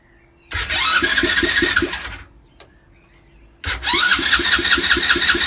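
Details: 50cc Chinese ATV, strong spark after new plug, HT lead, stator and battery, new piston kit, valves checked, carb cleaned, fresh fuel: two bursts of cranking with even compression pulses, no firing; cranks but won't start.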